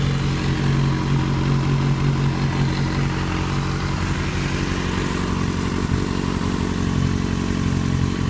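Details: 2008 Yamaha FZ6, 49,000 km, held at 2000 rpm after sitting some hours off: steady low-rev running with a faint, uneven clatter over the exhaust note; cause unknown.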